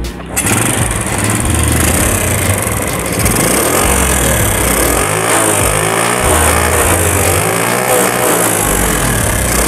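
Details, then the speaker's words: Honda Grand motorcycle after valve clearance adjustment for lack of power: busy rattly top-end clatter, throttle better but still very noisy; suspected camshaft or rocker arm problem, valves to be readjusted. "tapi coba kita Setel lagi kulitnya biar lebih maksimal ya karena masih berisik sekali ya suaranya"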